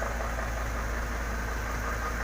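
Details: Isuzu dump truck that wouldn't start because of a burnt wire problem: steady, even low diesel rumble with no misses or knocks; idles normally.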